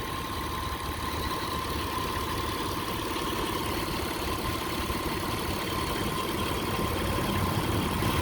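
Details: 2003 Mitsubishi Eclipse GTS 3.0 V6 after MAF sensor replacement (P0102): steady even idle with a soft regular pulse and no whine from the power steering pump, which reportedly whined before; fluid looks dirty.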